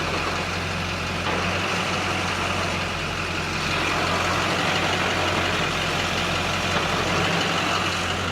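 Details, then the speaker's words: Chevy Silverado dually with Duramax diesel idling as the clutch pedal is released, a faint whirring hum from a worn clutch throwout bearing, judged not great but not horrific. "Yeah, it's got throttle bearing noise on the clutch assembly there. Not great, but not horrific."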